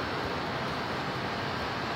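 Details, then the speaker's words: Air conditioner on battery/inverter from solar, maxed to max cool, drawing about 342–352 W as voltage sags. Steady airflow rush and compressor hum, no knocks or rattles. Normal compressor running. "okay now we're going to crank this up my shop is cool and here so I'm just gonna max it out there you hear listen"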